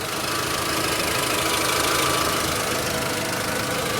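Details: 2007 Volkswagen City Golf 2.0-liter four-cylinder at idle: a steady idle with a raspy hiss and no knock. The owner reports an exhaust leak underneath that is yet to be checked.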